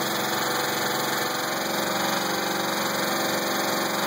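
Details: 2000 Pontiac Grand Prix GTP at idle: steady idle with light even knock that stays constant as revs ease; not like a rod knock, owner doubts flexplate and suspects a spring, unconfirmed.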